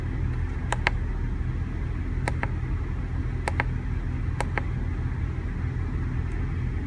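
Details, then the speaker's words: Van engine idling a bit rough after jerking when accelerating from stop signs, no codes stored; low steady rumble with a slightly uneven, lumpy beat and a few sharp clicks, owner hopes it is spark plugs. "nothing's throwing a code so yeah she's she's idling a bit rough so hopefully it's spark plugs"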